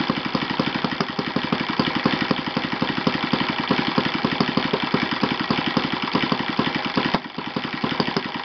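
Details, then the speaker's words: Yamada (Futaba) YS-F120 four-stroke 120-size model engine on test stand after total rebuild (carbon buildup, piston and ring problems), Yamada No.4 glow plug: crisp even four-stroke beat at steady speed, no misses or knocks; normal running. "So in general, this is really a great engine, very powerful, with the highest possible top speed, and really I'm very satisfied with this test."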